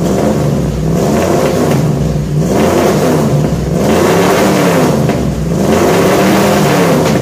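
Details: 1966 Ford F100 shop truck V8 with new headers and newly built exhaust, first start after install: deep smooth rumble climbing and settling cleanly with each throttle blip, no rattles or leaks; exhaust sounds good, normal exhaust note.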